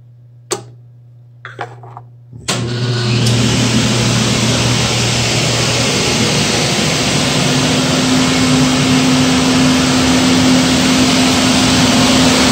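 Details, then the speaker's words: Power gas steam boiler on a ganged flue with a new 24" barometric draft regulator, started by manual override: relay clicks, then the blower rises to a steady even roar with a low hum for the roughly 1.5-minute purge before low and high fire; normal burner purge. "you'll hear the relay click the burner will start its purge cycle which is about a minute and a half and it will start low fire and go to high fire"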